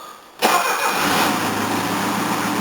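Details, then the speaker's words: Engine on a 230 being put back together: raspy puffing idle with a hissy edge; exhaust leak at engine pipe flange, which has the wrong flare and won't tighten; new engine pipe needed. "all right let's try again it sounds like it's got an exhaust leak somewhere"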